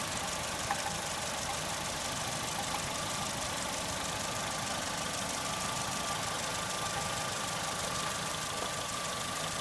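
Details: Saturn S-series still showing code P0440 after its metal hose into the exhaust manifold was cleaned: at idle a dull, hollow clank repeats about twice a second over a steady hum, like a muffled cow bell; the owner suspects the catalytic converter, with occasional gurgling.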